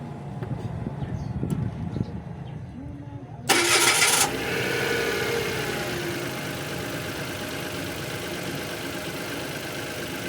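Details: Mitsubishi Mirage that would only crank without starting, now running after a cut wire was repaired: short burst as the engine catches, then a steady, even idle with no check engine light.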